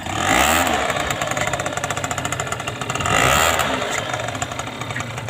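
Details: Aprilia Gulliver 50 two-stroke scooter, which had run but wouldn't drive properly, now fitted with its original larger-opening air filter and the leaking filter neck taped: crisp ringing exhaust blips rise and fall cleanly with no misfire; it runs very smooth.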